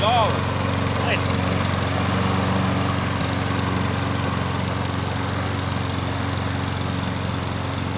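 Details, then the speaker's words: Troy-Bilt push mower, old and non-running, with a suspected dirty carburetor: after repeated attempts it fires and runs with an even, steady single-cylinder drone, no misses or surging; normal running. "And then you never know. It's just going to fire up. That's pretty good, wasn't it? That's good."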